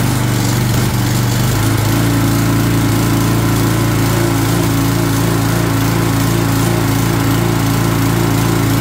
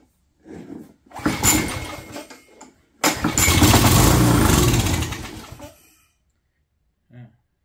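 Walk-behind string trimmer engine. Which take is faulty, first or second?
second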